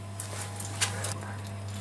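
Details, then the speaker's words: Pellet/biomass boiler during ignition sequence, shortly before its low water pressure alarm beeps: steady low hum of the pellet feed motor with light uneven ticking of pellets; feed auger loading normally. "Ahora lo que va a hacer es añadir pellet, comprobar que todo esté bien en el sistema"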